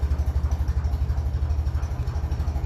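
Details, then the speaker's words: 1957 Ferguson 35 TVO tractor at low tickover: regular heavy deep knock about six per second, fine when revved; compression test suggests a worn engine; small-end bearing suspected, maybe big-end or oil pump, oil thinned by TVO. "it's Grand once you give it a bit of a REV bu when it's ticking over low you hear that so what the compression test is telling me is it is nearly wor just doing the big small end Barons"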